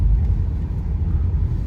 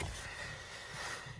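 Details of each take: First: Renault Megane 2 on a rough road with a steady low rumble and no knocks from the front suspension, after new control arms were fitted. It holds straight at 130–140 km/h. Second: Renault Megane 2, parked, steering turned left and right: drawn-out high squeaky creak with a low rubbing groan; owner unsure, suspects subframe locating pins.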